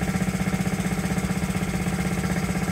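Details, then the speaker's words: Honda Z50, first start after 35 years, after idle and air-screw adjustment: the small single-cylinder engine idles smoothly with a quick, even putter; it was running rich earlier. "there you have it running after 35 years"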